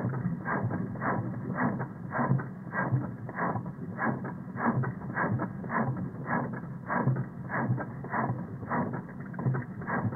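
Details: 2002 Honda Civic 1.7L 5-speed recorded via a custom knock sensor setup: sharp, somewhat uneven knocks nearly two a second over a muffled engine run; misfiring cylinder identified from this recording.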